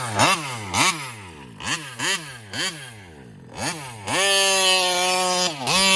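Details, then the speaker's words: Kraken Vesla RC car with Taylor 35cc reed two-stroke: revs up then sags, won't get on the pipe, and stalls; carburetor suspected of starving for fuel at high RPM, possibly a plugged screen. "oops she died there's something going on I think this carburetor is like I don't know there's something going on with this carburetor it feels like it's like it's starving at a fuel on high RPMs"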